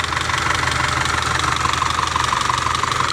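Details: Audi 2.0 TFSI idling with sharp, even tapping about three times a second; knocking traced to worn camshaft lobes and rocker arms showing shiny wear, with oily cam adjuster and vacuum pump; timing chain also to be checked.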